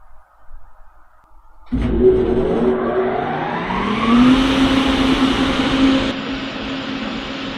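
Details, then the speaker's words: Newly wired fan on a farm, first power-up test with a planned 7-second delay after the other fan: fan kicks on sharply near two seconds, hum climbing in pitch to a steady whir; normal fan start. "That one's going to kick on, and then there should be about a 7-second delay, and then the one that I just wired up should turn"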